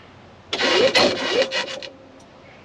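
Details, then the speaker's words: 2016 Yamaha petrol golf cart, cranked in gear with brake held and accelerator pressed to load battery harder, voltage falling to 5–6 V: slow, strained starter grind for just over a second that never fires; weak battery, charge or replace. "6 V 5 Vol and that's how you're going to test very simply if your cart starting issue is as simple as charge or change out the battery"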